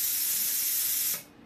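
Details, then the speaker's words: Plasma cutter test with torch switch plug removed and a screwdriver bridging the two prongs of the low-voltage switch circuit; steady even air hiss about a second, cuts off cleanly; machine works, checking whether the switch is at fault. "just take the switch plug out grab a screwdriver stick the screwdriver in the two prongs and make a circuit there you go see that guy's as easy as that just tricks the machine"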